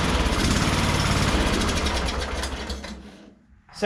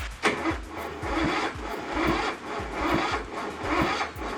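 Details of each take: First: Craftsman ZTS7500 zero-turn with Kohler Courage single engine, after correcting a very loose valve, run on carb cleaner: chugs evenly at quick idle about three seconds then dies; no knock or rattle, sounds healthy, carburetor cleaning next. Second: Craftsman ZTS7500 zero-turn with Kohler Courage engine, spark plug boot off, valve cover bolts loose, on a jumper pack: slow, labored cranking about one compression stroke per second, never catching; oil present, suspected too little battery power to crank fast enough.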